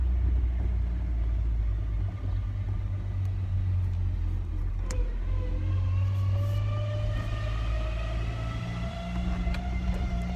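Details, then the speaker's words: Ford Ranger pickup, recently freed from a stuck clutch, driven uphill under load: a thin whine rises steadily in pitch with road speed over the engine drone. Suspected failed transmission bearing; the transmission is to be pulled. "but it does have a transmission problem uh a terrible whine I'll let you hear it sounds like we have a bearing out out you can hear it good when you drive it"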